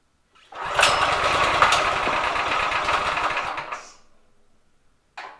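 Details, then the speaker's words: Drift trike small single engine after reseating unseated rocker arms, started on choke after sitting without oil: it catches and runs a few seconds with a rough, uneven beat, then sags and dies. Idle set too low. "Okay, so I think we just need to idle it a little bit. Idle it up."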